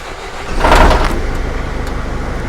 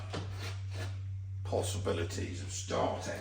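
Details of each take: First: Recovery truck with a newly fitted diesel engine, after the ECU was told there is no needle shut-off sensor: starter whirr, then it catches and settles into a steady, even chug with clean firing pulses; a healthy start. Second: Diesel engine in a recovery truck, with injectors refitted after injector seal replacement, catches after a pause and settles into a loud, rough, helicopter-like chopping clatter; the refitted injectors were damaged.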